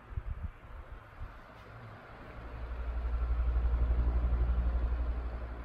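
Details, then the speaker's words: 2007 Airworks 16-inch pedestal fan, 0.45 A, cast metal motor housing, on speed one (low), not run in a while; soft low hum with an even pulsing about four times a second, no rubbing or rattle; normal running. "has a pretty neat sound when it runs"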